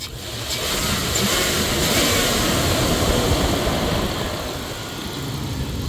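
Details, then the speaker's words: 1999 Dodge Durango SLT after fixing a forgotten vacuum leak, computer relearning idle: engine settles into a steady, even idle with no hunting or surging; running normally. "Good as new. Oh yeah. She's back to normal."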